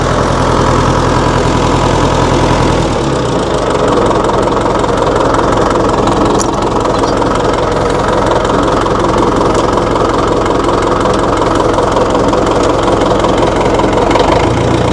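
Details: 1960 Massey Ferguson FE35 four-cylinder diesel tractor, restarted after sitting long in a paddock, fresh battery, oil, water and fuel: heavy, steady diesel clatter at an even idle that holds speed throughout; running normally.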